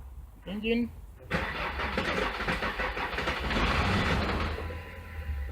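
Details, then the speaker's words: Jeep diesel with BP 36 injection pump, owner checking that the auto-shutdown relay restores voltage on crank-sensor signal: starter drags slowly and unevenly with no catch; scope shows battery voltage sagging way down, very bad battery. "and I can see we did have this battery is really bad you see what it went way down"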